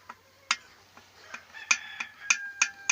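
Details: IZh Jupiter 5 two-stroke motorcycle engine: piston rocked by hand at bottom dead center gives sharp metallic clicks about twice a second; piston knock at the bottom of the stroke, despite a fairly new piston.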